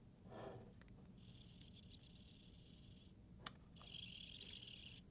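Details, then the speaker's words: Potensic Atom SE sub-250 g drone, no gimbal, camera tilted with the remote's wheel: two faint, high, scratchy squeaks per tilt. Squeaky camera tilt mechanism. "it's a very squeaky tilt but it is a tilt nonetheless that you can do with the remote"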